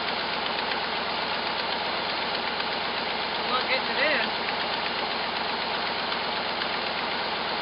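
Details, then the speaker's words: Cold first start, the first run over five seconds, of a hot-rodded V8 Jeep J7 rock crawler: steady idle with a raspy puffing tick on each exhaust pulse, from a terrible exhaust leak; idle good, 55 psi oil pressure. "uh exactly got a terrible exhaust leak let it warm up i guess i should have checked the oil huh i didn't even do that idle's good boy that exhaust leak is terrific good oil"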